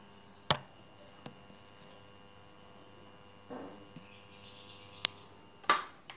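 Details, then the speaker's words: Matsunichi electric fan motor gives a faint, steady electrical hum but won't spin, due to a run capacitor whose value had dropped. Replacing the capacitor made it spin normally again. "Hai ini dengan gejala dia tidak mau berputar cuma berdengung pada dinamonya kita coba dulu teman-teman"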